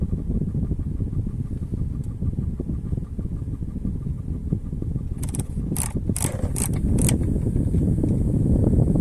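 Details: VW Crafter/Mercedes Sprinter: light, quick ticking, about four a second, behind the dashboard over a low engine hum, from a failing heater actuator valve.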